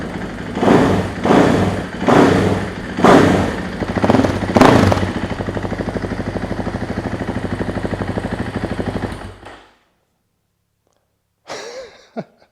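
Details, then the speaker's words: 2024 KTM EXC-F 500 single after FMF muffler install: five sharp throttle blips then steady quick-firing idle until shutdown; still loud but much better, healthy. "Okay, better. It's still loud. That is much better."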